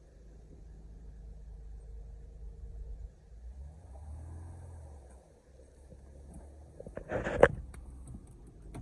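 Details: 2013 Honda Pilot Touring 3.5 V6 after fixing a cylinder 3 misfire (code P0303, flashing engine light): quiet, even idle with one smooth rev and no stumble or shake. Normal idle after the repair.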